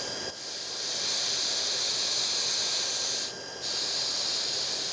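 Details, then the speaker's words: Pressure tank on a variable-speed pump at about 3.5 bar: a steady high hiss, briefly cut off twice as the valve closes, as air is deliberately bled from the tank to fit in more water. This is a normal air release. "okay now I'm going to start leading air out"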